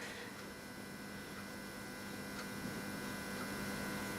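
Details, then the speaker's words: Iskra E895G2 single-phase 240V 50Hz watthour meter (made 1998, 15-100A, 266.6 rev/kWh) powered on test board: steady loud mains hum with buzzy edge from noisy potential coil; disc bearings good, not load wheel rattle. "Turn it on. I hear it humming. A lot of these European meters I've come across have a noisy potential coil rattling the disc"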